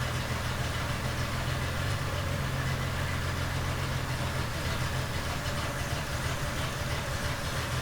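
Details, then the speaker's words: 1970 Triumph TR6 restored engine, cold first run at -6 °C, choke held closed, warming until thermostat opens: low, lumpy idle with steady throb and uneven beat; rough running, owner suspects cam timing (set without spec). "here I'm holding the chalk closed now it's warmed up already"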